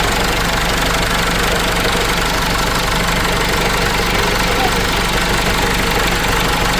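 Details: Case 586E with Cummins 4BT diesel, restarted after new oil pickup tube and oil refill: rough idle with steady knock about three per second under the clatter; tapping heard from first start, cause not pinned down.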